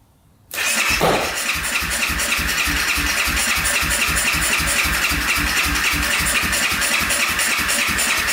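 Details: 2014 Honda CRF250L, valve cover refitted, cranked with the air filter removed as an attempted fix. Starter whirs steadily with even compression pulses about four a second but the engine never catches. Still won't start; a clogged silencer is the last thing left to check, though doubted.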